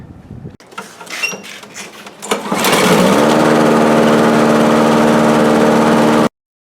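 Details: Briggs & Stratton L-head small engine after valve lapping and a new head gasket, compression raised from about 10 to 75 psi, some cylinder scoring: a few tries, then catches and runs steady at constant pitch with no misses; normal running.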